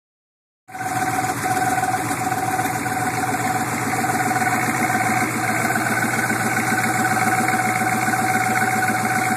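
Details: 1987 Suburban, 6.2 turbo diesel, cold start-up: steady idle with even tick about 220 per minute plus a clear whistle; noise present about a year, previously quiet, usually goes away when warm; cause unknown.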